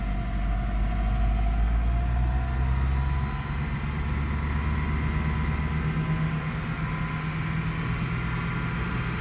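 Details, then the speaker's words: Great Wall Hover H5 petrol (Mitsubishi engine), 109,000 km, idling after replacing the faulty timing-belt hydraulic tensioner that caused a knock: smooth, quiet, even low hum with no knocking. "Как видите друзья всё ровненько работает двигателя вообще почти не слышно"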